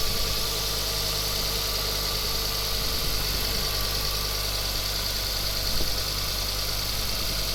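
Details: Ford Focus ST mk2 idling with a fine puffing tick over a hissy edge, steady throughout; the noise comes from the exhaust manifold gasket bolts and manifold, though a dealer had suggested replacing the turbo. Exhaust manifold leak.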